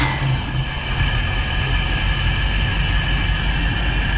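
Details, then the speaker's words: Volvo Penta 5.7 DP SX-M boat engine that shakes badly and has starting and idle problems. One cylinder is totally dead. Uneven, lumpy low rumble with a stumbling beat at idle. "I'm setting this on a level item or let me see if I can see how much it shakes that's a complaint so this this engine is totally dead on one cylinder"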